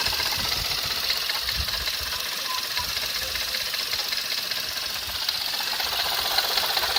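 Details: Skoda Fabia RS: light, fairly quick tapping about two or three per second over the running engine; knock of unclear origin, owner unsure if engine or accessory units.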